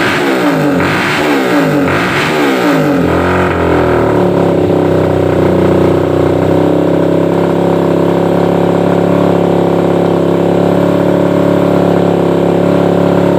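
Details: Suzuki Satria FU 150, stock daily bike after porting and new valve shims, previously slow to rev: a few sharp throttle blips rising and falling cleanly, then smooth steady idle; engine healthy.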